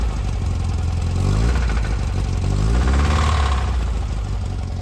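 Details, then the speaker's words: Air-cooled VW Bus 2007cc single-port stroker, under 500 miles: rough engine note with an irregular rattling knock, about four per second, and lost power. Cylinder four had 110 psi versus 150; a broken oil control ring was found. "so basically we started having this weird rattly knocking noise lost a little power"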